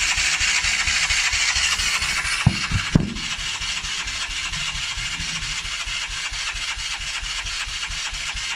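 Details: Polaris Outlaw 50cc quad after carb cleaning and clearing a blocked pilot jet (it had been leaking from the carb overflow and wouldn't fire): a couple of clunks, then a steady, slightly raised idle on choke; normal start.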